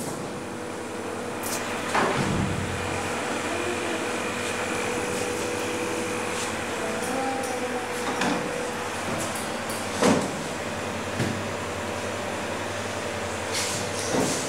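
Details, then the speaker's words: Homemade refrigerant recovery unit, pre-evacuated to avoid contaminating the gas, near the end of recovery with pressures almost at zero: even, steady compressor drone with a few handling clicks. Running smoothly. "Les mostré el equipo funcionando, haciéndole vacío primero a la recuperadora para poder volver a meter ese gas en el circuito, para que no esté contaminado con algún otro gas que teníamos."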